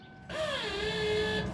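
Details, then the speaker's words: 1988 Ford Mustang 5.0, Vortech supercharger, Walbro 255 LPH fuel pump after reversing its wiring polarity: key on gives a steady electric whine that dips briefly then holds about a second; pump now primes normally. "that's priming so what we did was we go ahead and turn the key off what we did was we reversed the polarity"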